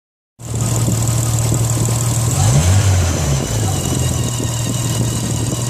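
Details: Nissan RB25DET engine catches and settles to a steady idle with a thin high-pitched whine over the exhaust beat; whining noise of unknown origin.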